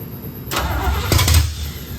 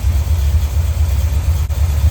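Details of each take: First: 1972 Corvette C3 small-block Chevy, first start after rebuild: starter spins engine steadily for about a second, never catches; fuel had not yet been pumped from tank to carburetor. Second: 1972 Corvette C3 small-block Chevy V8 after rebuild, running once the flooded carburetor and intake were dried and base timing and dwell were set: deep, even idle rumble with no misses, then a brief rev. Normal smooth idle.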